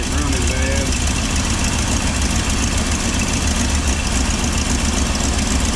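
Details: 2000 Chevy/GMC 2500 with 5.7 Vortec V8: low, lumpy idle with an uneven beat and slight shake in the exhaust note; rough idle from incorrect distributor timing, later corrected using a scan tool's engine data display.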